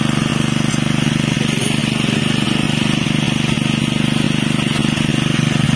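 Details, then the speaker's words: Honda WB30XN water pump with GX160 5.5 HP engine converted to run on LPG, running with an even, quick single-cylinder putter and no misses; sounds almost the same as on gasoline. "friend, the sound for the Honda wb30xh which has been modified to become heavy LPG fuel, in my personal opinion, for the sound itself, it is almost the same as the gasoline fuel itself"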